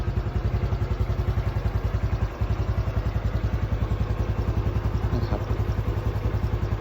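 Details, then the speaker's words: Used motorcycle for sale, under 4,000 km, started by hand: even single-cylinder thump about three to four beats a second, steady with no clatter or misses; soft, normal idle. "ก็แค่มาสตาร์ทฟังเสียงเครื่องกันนะครับผมStepปกติราชิดทำงานสตาร์ทมือนนะครับเสียงเครื่องนิ่มตอนที่ได้ยินนะครับทุกอย่างเช่นนั้นก็ปกติ"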